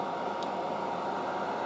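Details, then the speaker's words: Late-1960s General Electric HD-8C bonnet hairdryer running on heat: smooth, even airy whoosh from the fan with no rattle, scrape or wobble; quiet, healthy motor, normal running. "it's pretty damn quiet have a listen to this solo that's the heat"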